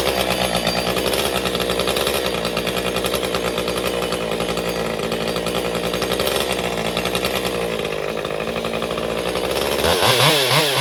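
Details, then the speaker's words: Stihl MS201TC chainsaw after performance work, idling 30 seconds to settle idle fuel settings; wavering, hunting pitch that surges and sags before starting to settle; rough running, fuel starvation suspected, not confirmed. "Okay, you can hear it in there surging. So, see, it's starting to settle in now."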